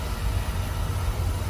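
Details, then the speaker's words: Beckett oil burner fired after cleaning the nozzle and clearing oil built up in the chamber: lights immediately into a smooth, even roar with no puff or delayed bang; normal ignition. "Now I'm going to turn this thing on and see what happens. You see, it fire immediately, guys. It fire immediately. It didn't say puff. Okay, it fire immediately."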